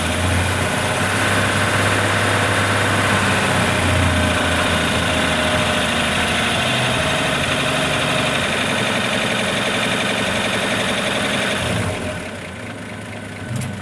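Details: 1941 Chevrolet 216 stovebolt six at idle: steady idle with a regular light tapping, about three per second, over the engine hum; strange noise, cause not yet identified.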